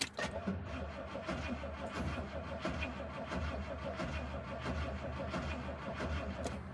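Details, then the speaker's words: 1967 Rolls-Royce Silver Shadow, not yet started that day: the starter drags the engine over slowly and unevenly and it won't catch. The owner says the battery is low and needs replacing. "It's not starting. Let's go around the other side."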